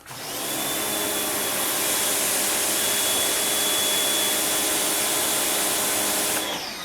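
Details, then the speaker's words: Greenworks electric pressure washer with a sealed three-plunger pump and auto start-stop: a loud, steady high-pitched hiss and whine for about six seconds, then it cuts off; normal pump start and run. "oh these have the puke sound so clearly i don't think this pump um i thought in the past the green works and ryobi's were made in the same spot but maybe not this sounds like a sun joe doesn't it"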